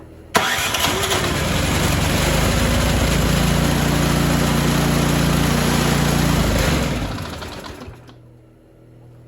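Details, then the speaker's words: Poulan Pro 961980056 24-inch 208cc snowblower, won't start after sitting, given starting fluid and primed: cranks, catches, runs rough a few seconds, then dies; carburetor has debris and fuel has water in it. "it does die right away let's uh let's see if we'll go again foreign yeah so I'd say uh we got a carb issue here let's tear into it"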